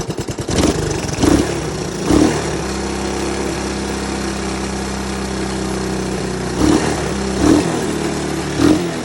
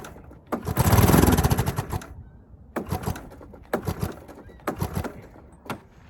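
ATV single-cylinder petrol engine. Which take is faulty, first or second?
second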